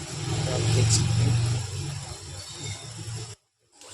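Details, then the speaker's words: Bajaj mixer grinder after a motor replacement and 3-speed wiring, tested on direct line after a series-bulb check: steady, even motor hum, dipping briefly as it is switched from speed 1 to 2 to 3, with no rattle or grinding. "तो यहाँ पे आप देखोगे कि हमारी motor जो है अब स्पीड 1 में है, अब ये स्पीड 2 में है, अब ये स्पीड 3 में है।"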